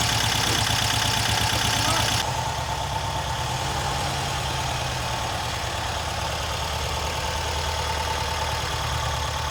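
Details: Freshly rebuilt VW Type 1 air-cooled flat-four from a Karmann Ghia, first start after hooking up the coil and priming fuel by cranking, not yet broken in; fast, even putter with no knocks or misses, briefly masked by clapping; normal idle.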